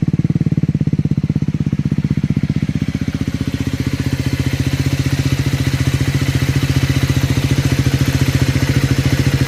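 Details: Cold start on a Triumph 400 single (Scrambler 400X or Speed 400): the idle has a fast, busy ticking clatter over the low thump, steady throughout. Abnormal mechanical engine noise, source not pinned down.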